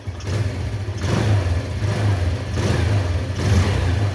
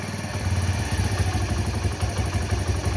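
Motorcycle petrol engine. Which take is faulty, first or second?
second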